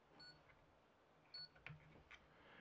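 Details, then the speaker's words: PSU tester on an Ultra 1000 W power supply giving short high beeps about once a second because a four- or six-pin connector isn't plugged in. "so you hear that beeping that's because I don't have this connected to it so I have to plug in I have to plug in a four pin or six pin or something else"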